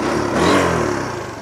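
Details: Honda Supra GTR150, K56 DOHC engine, 5 years old, 58,106 odometer, tensioner, clutch lining and TPS replaced; quick throttle blip rising and falling cleanly, crisp and even with no rattle or miss; engine still fresh-sounding; normal rev.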